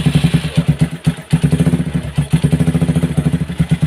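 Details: Motorcycle repaired three times after piston seizure, oil not reaching cylinder head: single-cylinder idle thump with harsh dry rapid valvetrain clatter; head dry under valve cover, starved of lubrication.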